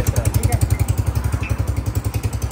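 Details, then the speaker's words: Honda CG125 motorcycle at idle: sharp even pops about ten per second, hollow sputtering from the intake, traced to a torn air filter element. "तो ये जो मसला है फटी फटी आवाज आ रही है 125 के अंदर तो आज इसको हमने हल करना है"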